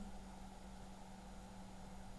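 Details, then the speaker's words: Opus BT-C3100 v2.2 battery charger discharging at 1 A: cooling fan at low speed gives a quiet, steady low hum with a faint even tone, no ticking or wobble, slightly louder when the charger is flipped over. "ну слухайте друзі оберти зараз невеличкі Так коли ми перевертаємо зарядний пристрій вентилятор починає працювати трошки голосніше"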